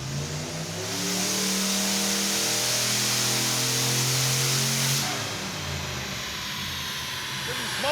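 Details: 1974 Mazda RPU Mazdarati 2.0 mini-truck with turbocharged 5.3L LS4, full-throttle dyno pull despite a transmission that won't shift: note climbs smoothly for about four seconds then drops off cleanly, no stumble or misfire; ran clean.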